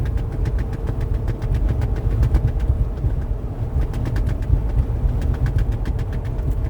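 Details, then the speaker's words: Trektop NX soft top on a JL Wrangler, with the updated window installed, at 70 mph on the interstate: rapid fabric slapping and fluttering over road and wind roar; stretched fabric in warmer weather now flaps even at 45–55 mph. "all right guys so I'm out here on the interstate and if you can hear it you can listen to the flapping of the trektop"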